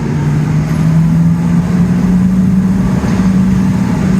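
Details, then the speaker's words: Brand-new Oliver 50 gravity table with VFD-controlled fans, in an active shop: steady whine climbing slowly in pitch as fans spool up to full speed, smooth with no rubbing; normal spool-up. "fans start they've started you can hear them whining they spool up"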